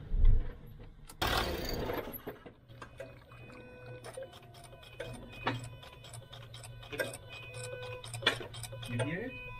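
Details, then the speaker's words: Land Rover Discovery 3/LR3 after EGR valve replacement (valves now opening 90%): engine switched off, a run of evenly spaced clicks as the EGR valves do their normal post-shutdown cleaning cycle. "Now I turn it off and you hear the cleaning cycle."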